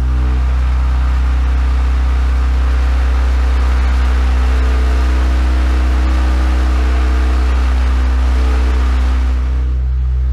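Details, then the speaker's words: Kenwood KA-7100 amplifier driving one 18-inch Dayton Audio subwoofer on the left channel at about 62.7 Hz, volume cranked up: a deep steady tone with a harsh harmonic buzz on top as the amp clips and goes non-linear. "buzzing in there is when it starts going on linear and the speaker's going to reproduce that"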